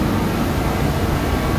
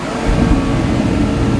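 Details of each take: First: DeWalt torpedo heater that would not light and spat fuel, after the pressure was adjusted: steady, even burner roar with a low rumble and no sputter or popping; now lighting and running normally. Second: DeWalt torpedo heater (had no-start and fuel-spitting issue), just refired with cover back on: steady blowing roar with rough rumble underneath, throwing flames, probably unburned fuel burning off before pressure was adjusted further.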